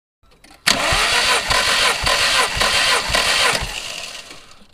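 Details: MG TF VVC with rebuilt Rover K-series engine cranking during a compression test, readings roughly 153–178. The starter turns the engine with even, steady compression beats about twice a second and no misses: healthy cranking.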